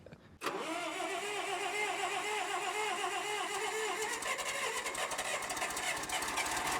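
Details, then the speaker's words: Bobcat 610 skid steer with a Wisconsin four-cylinder gas engine, said to start every time with no leaks. It catches within half a second and settles into a steady, even run with no knocks or misses: normal idle. "it cranks up every time runs good no leaks"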